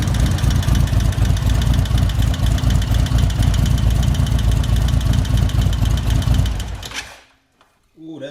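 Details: 2024 Indian Roadmaster, ThunderStroke 116, just after Lloydz 585 cam install, before ECU flash: loud V-twin idle with fast light valve-train clatter over the exhaust, a bled-down lifter rattling until it pumps up.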